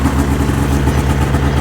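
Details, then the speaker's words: 2005 Ski-Doo MX-Z Renegade 600 H.O. SDI two-stroke, warming up after an overnight cold soak, following a fuel pump, pressure regulator and strainer replacement for a long-standing hard-start problem. Steady raised idle, even low burble with no misses or knocks, not yet kicked down; normal warm-up. "I'm kind of curious how long before this would kick down here we pause the video for a little bit"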